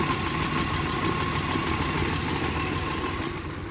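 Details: 1968 Kaiser Jeep M725 military ambulance, first run in 15+ years, cold, on an electric fuel pump after carburetor rework; a steady low throb at an even idle with no misses or knocks. No oil pressure and the generator isn't working.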